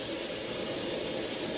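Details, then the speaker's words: Pressurized petrol cooker about 60 seconds after lighting, flame blue and clean: steady, even hissing roar with no sputter, surging or popping; running clean and flat out. "But it literally took about 60 seconds and now it's absolutely burning nice, blue and clean, alright? And you can tell it's absolutely whacking out the pressure"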